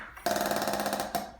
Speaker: beeping sound is air going into the regulator and the alarm.